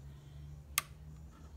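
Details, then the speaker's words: Dishwasher rinse aid dispenser that never released in four years: one crisp click over a quiet low hum as the dispenser latch clicks again and releases; normal latch click. "and now it's going to release so it clicks clicks again again release"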